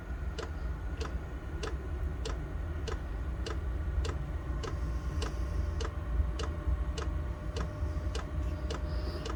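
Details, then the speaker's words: Chinese diesel heater set up for indoor home use, at startup: the dosing pump gives crisp, evenly spaced ticks about twice a second over a low fan rumble just before ignition. This is normal fuel pump ticking. "okay let's just wait for it to fire up you'll hear the pump click in a bit there we go pump's kicked in here it ignite"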